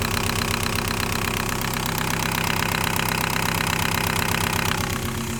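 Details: 1.9L TDI diesel with fuel problem, injectors diagnosed as bad: sharp regular metallic clatter over the idle at roughly 160 a minute, harsher than normal diesel rattle; failing injectors knocking.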